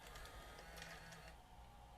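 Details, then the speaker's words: Sony CCD-FX620 Handycam 8mm camcorder from the 90s, powered up, won't load tape, suspected leaking SMD capacitors in switch-mode supply; quiet brief motorised whir and soft click as cassette door closes smoothly; door mechanism normal. "it actually closes no problem and it opens perfectly fine"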